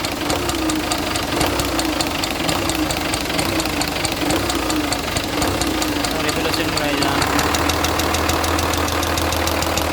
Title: rocker arm knocking noise